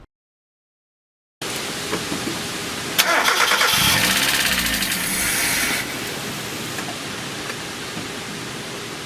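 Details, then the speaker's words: 1994 Mazda Miata, about 56,000 miles, first start after timing belt, water pump and hoses job (non-interference engine): cranks, catches, then ragged uneven idle; a connector left unplugged, and a vacuum leak caused misfiring. "so it's acting like there is a sensor problem right now let's just double check our electrical stuff actually is running it must have something unplug ah this was connected here right"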